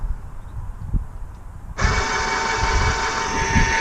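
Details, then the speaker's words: Graco 390 PC airless sprayer after a not-priming fault, fixed by tapping the seat with a hammer and refitting the suction hose: motor kicks on to a steady whirring hum with even pump pulses, about four a second. Now priming normally. "Yes! We have priming. So there you go."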